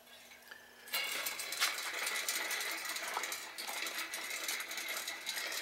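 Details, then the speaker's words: Shimano FH-M475 bicycle rear hub spun by hand, non-drive side bearings pitted, cone and hub race trashed, no grease: quick light ticking with dry, gritty rasp; dry worn hub bearings. "uh so i got no grease in here this side is okay so i'm gonna put some grease maybe in there as i'm playing with it and then uh just keep spinning this and see how how much quieter this thing can get"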